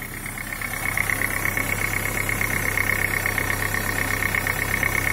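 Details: Daewoo Nexia 8-valve engine, cold idle: steady, fairly even knock about three per second over engine hum, slightly louder over five years; owner suspects crankshaft, cause unconfirmed.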